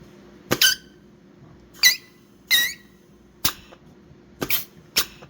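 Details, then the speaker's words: 4L60E transmission air test on shop air for 1950 Chevy pickup LS swap: short sharp hisses each ending in a soft thud as the clutch applies cleanly; leakage heard comes around the blowgun; normal. "Beautiful. Forward clutch, next clutch up. That leakage you're hearing is coming around my blowgun here."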